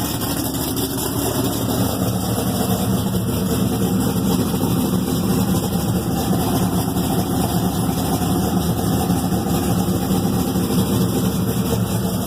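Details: Thelma, an Exile Fab frame rig with an LS3 V8, 208 Motorsports harness and Reid SH400, on its first start after the rebuild. Deep, even rumble holding a steady idle with no knocks or misses. Normal idle.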